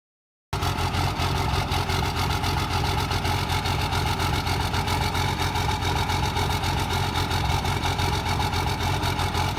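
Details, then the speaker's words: Cummins diesel with hot-rod VP44 injection pump and stock injectors refitted: loud, hard, rough uneven clatter at steady idle, about 220 pulses a minute; injectors themselves fine but mismatched to the pump. "So as you can see, those stock injectors, which have no problems with them, the stock injectors are fine. You see what those things sound like on the Hot Rod VP44. Sounds horrible, right?"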